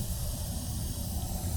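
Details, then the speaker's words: 1948 Gillig bus running hot, about 220 in hot weather, checked at idle at the radiator/reserve tank: steady airy hiss over low engine rumble, no rhythm; cooling system leak heard but not seen, suspected reserve tank. "Oh yeah, I can already hear the leaks. Where is it coming from? So yeah, I mean, I can hear this leaking, but I don't see any leaks coming from back here."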